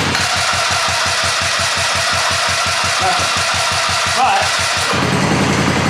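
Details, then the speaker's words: Fox Carbide 150 go-kart with GY6 engine: steady starter cranking at about four pulses a second that never fires while the key is held in crank, then it fires on release; faulty ignition switch cutting the run circuit. "See, right when you let go, so clearly it wants to run. But if I hold it and crank right now, it will not start."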